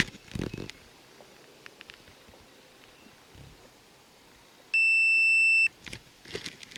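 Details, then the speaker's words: 2001 Jeep Cherokee XJ, crank no start: a steady high-pitched meter beep of about one second across fuse 11, reading two ohms, meaning a dead short to ground on that circuit. "you hear it beeping i'm in here on that fuse number 11 and i have two ohms which means i have a dead short to ground on this circuit and i believe this fuse kept blowing also"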